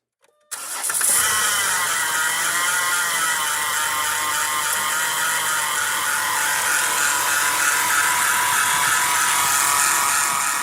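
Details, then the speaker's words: 2010 Chrysler Town & Country 3.8L V6 minivan, 110,000 miles: engine settles to a steady idle under a loud, even high-pitched whine from a faulty alternator; belt, tensioner and pulleys were replaced, and a bad remanufactured alternator ran noisy and very hot. "on it but two days after owning it we noticed the alternator started to sound like this"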